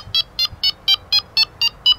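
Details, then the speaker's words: Delkim TXi-D bite alarm in tone-setting menu: eight short clean high bleeps about four a second replaying the chosen tone; working normally. "ora col pulsante alla vostra sinistra tenendolo premuto andremo a sentire tutti i toni in una scala dal basso all'alto dall'alto al basso"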